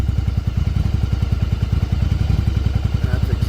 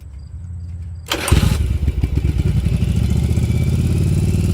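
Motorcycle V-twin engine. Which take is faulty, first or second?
second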